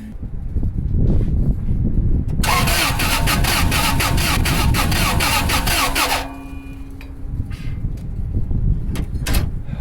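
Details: 2002 Toyota Sequoia crank-no-start in cold weather, parts already replaced, no engine codes, fuel smell in oil suggesting cylinder wash: starter churns at an uneven cadence, about three and a half pulses a second, never catching; engine damage suspected, not confirmed.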